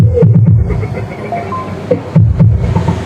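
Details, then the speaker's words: Sakura AV757 integrated amplifier after repair of the distorted channel: music plays with a clean, punchy beat and solid bass, no crackle or distortion; both channels now normal and even. "na siya basag tapos lipat natin dito sa may isa hindi na siya basag dito normal na pantay na"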